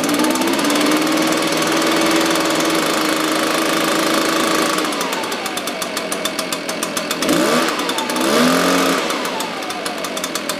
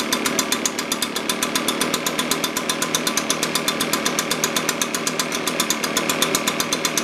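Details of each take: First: Echo PB-580T two-stroke leaf blower, older, bogs on throttle, suspected vacuum leak or carburetor, cold start: low, slightly uneven idle with a quick throttle blip, needs tuning; low idle, slightly rich mixture. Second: Echo PB-580T leaf blower two-stroke that bogged on throttle with a vacuum leak, after carburetor low-speed adjustment: steady idle with an even, rapid popping beat and bright buzz, still slightly rich.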